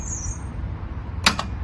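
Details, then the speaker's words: 1979 BMW R80/7, 43 years old, fitted with a borrowed charged battery; neutral light on, clutch pulled in. Two sharp solenoid clicks and then no cranking at all. The owner suspects a stuck starter motor. "sounds like the solenoid starting I think the starting rate is stuck to Motors on top of the motor I think it's just stuck"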